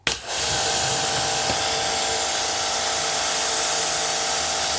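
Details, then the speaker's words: Kranzle K1122TST electric pressure washer, spraying at about 1090 psi: steady loud spray hiss over smooth constant motor hum without surging or knocking; healthy pump under load. "so good just sounds like a German high quality machine"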